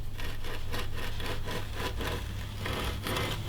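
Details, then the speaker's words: Campagnolo Chorus Ultra Torque crankset, spun by hand in a Parlee Z5 bottom bracket without its wave washer: a dry rasping grind pulsing about three times a second. The bearings are rough and worn, with sand in them. "the bearings are bollocks you can hear them and but it is spinning freely oof they are rough bearings but that will work"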